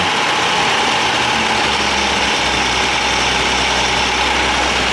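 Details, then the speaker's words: 1962 AMC Rambler Classic Deluxe, abandoned since 1975, with fabricated throttle linkage: fast steady idle with an even roar that never settles down; cause unconfirmed; high idle. "It's idling way too high. I don't know why it doesn't want to idle down anymore."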